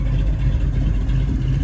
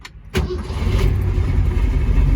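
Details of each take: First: 1967 Mustang Fastback 428 Cobra Jet V8, cammed, warm after a 1-1.5 hour cruise: deep heavy idle with slight uneven lope; idle possibly set a hair high, lope would be clearer about 100 rpm lower. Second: 1967 Mustang Fastback 428 Cobra Jet V8 with electric exhaust cutouts, no headers, in neutral with no throttle: short crank, catches at once and settles into a deep steady idle; healthy start.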